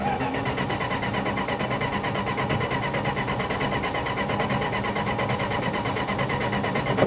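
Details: 1966 Plymouth Fury, coil wired directly to the battery: starter churns steadily, never fires, and the battery is weakening. Crank no start with no spark; owner considers a new distributor.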